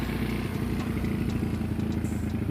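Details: Honda Beat carb-type scooter bored to 150cc (2mm alloy base gasket, manual tensioner, added oil cooler), running after rebuild: steady, even low burble with quick regular firing beat, no knocks or rattles; normal running.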